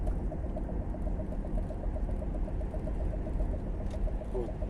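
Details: 2008 Chevrolet Captiva 3.2 with automatic transmission: a light, regular ticking knock about seven times a second under road rumble when coasting or braking from 30 to 20 km/h, near the transfer case; cause unknown.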